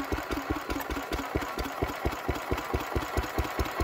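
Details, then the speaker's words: Petter W1H single-cylinder petrol engine, run last week, started to belt-start an old Lister D; slow, even thump around two beats a second with a steady idle rhythm; normal running. "once our carb has filled up this one should start right up there we go come on girl"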